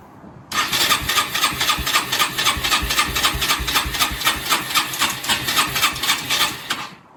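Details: Rieju RS2 Matrix Pro 125cc after 10 years in storage, new battery, fuel lines and valve replaced, choke on, first start attempt: quick, even starter chugging about four compression beats a second, engine not catching.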